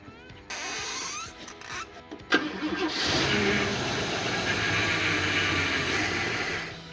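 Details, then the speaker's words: 1977 Ford Fairmont XC GXL 302 V8, revived after 12+ years stored in a shipping container: catches on fuel poured into the carburettor and runs a few rough seconds but won't rev or idle; fuel pump dead, throttle linkage and lower butterfly seized. "so honestly that's a great result we got spark and it fed straight up that's excellent however the fuel pump's dead so it's not getting any fuel and the K will not rev"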